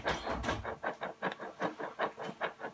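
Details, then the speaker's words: Washing machine drum bearing turned by hand with the door open: gritty, crunching bursts about three times a second. A bearing has collapsed and makes the noise; the seal area is badly worn. Fix: replace the bearing set. "Rulman dağılmış ve sesi bu Rulman yapıyor"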